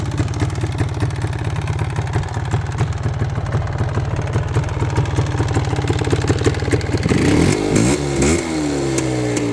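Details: 2003 Polaris Trailblazer 400 ATV after fitting a new starter, Bendix and gasket: steady single-cylinder thump at idle, picking up smoothly when revved, no clatter or misfire.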